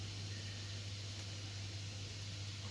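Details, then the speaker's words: HP EliteBook 840 G2 laptop powering on with no display and five caps-lock blinks; mic close to the fan, which runs at a steady, loud full-speed whoosh instead of near-silent, caused by corrupted BIOS. "It's running at top speed, which shouldn't be. The fan should be running. In fact, the sound of the fan should be very silent, to the point that you can't hear any sound coming out from the fan. But here I can."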